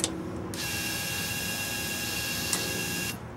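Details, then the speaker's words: Yamaha Vmax converted from stock CV carbs to fuel-injected throttle bodies, cold overnight start: at key-on the electric fuel pump whirs steadily about two and a half seconds then cuts off cleanly; normal priming before starting, idles at 1,000 rpm. "okay like I said again the fuel pump pressure will come up here then it'll pop and then I'll start it up the little pop like I say even if you hear it it's just the fuel injesture getting that first squirt of uh primer in the morning"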